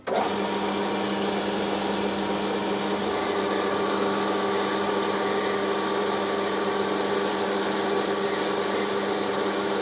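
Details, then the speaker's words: Lathe at 300 rpm turning 4140 steel shaft for Aveling & Porter steam roller, 2 mm depth of cut, steady rest: cutting hum with ringing chatter near end of cut when feed slows or stops. "you can hear we get a bit of vibration as we get towards the end of a cut especially when we stop feeding or slow the feed rate down to get towards the end is not ideal but it's getting the job done"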